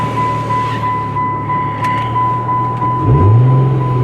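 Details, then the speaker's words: V6 roadster idling: repeating chime, about three per second, over the engine; cause was the trunk not closed, fixed by reopening the roof and closing it properly. "all right we figured out why it was making the beeping sound uh the trunk wasn't closed so we had to open the the roof back up again and just close it down properly"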